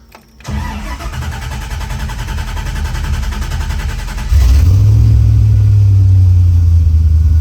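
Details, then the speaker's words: LS-swapped truck, first start after installing a new Tremec TKX transmission in place of a failed T5, rear wheels jacked up, clutch in, battery seeming a little low: brief crank, then smooth, even V8 idle with no misses or knocks. "And it runs. Okay, I'm gonna let the clutch out and see if anything goes horribly wrong."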